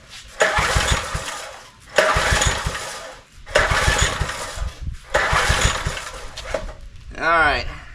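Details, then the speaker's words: John Deere 3 hp tiller being revived, new lower spark plug, throttle fully open, choke being varied: five bursts of cranking, never fires; the plug is wet so fuel is arriving, owner suspects not enough air. "right I know I'm getting fuel in there it's wet yeah spark plugs defitely wet the new one that we put in there it's getting fuel maybe not enough air"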